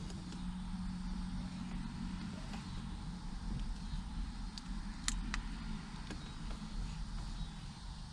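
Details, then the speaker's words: 2006 Lexus GS430 started after sitting about a year since an accident, following checks that found a popped fuse and relay, possibly for the starter. It is on old gas and dripping oil. It catches and settles into a low, steady, normal idle. "we got it started baby it's on see if it stays on with his own power that's that old gas huh that's that old gas"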